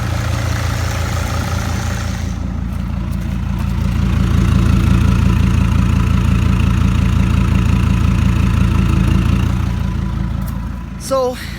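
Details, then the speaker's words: Mercedes Sprinter diesel with P299 turbo underboost code idling normally with a substitute turbo actuator unplugged: steady even chug, no whistling. "could see guys it's working normally with another turbo actuator"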